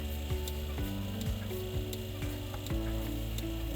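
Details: Bucket milker on cow, 24-degree cold morning, vacuum pump running: steady pump hum with regular click about twice a second as pulsator cycles; clicking shows enough vacuum, normal milking.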